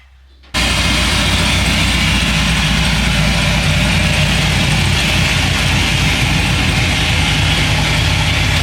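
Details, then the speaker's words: 1957 Chevy wagon V8 with new Sloppy Mechanics stage 2 cam and custom tailpipes: loud V8 catches quickly and settles into a choppy, loping idle; running healthy, motor doesn't shake much. "So hopefully you guys can hear that. Sounds pretty good. Sounds pretty wicked. We'll get it from the back. So sounds pretty good. Hey, Jack. Sounds pretty mean. Pretty wicked. The motor doesn't shake too much, so that's awesome."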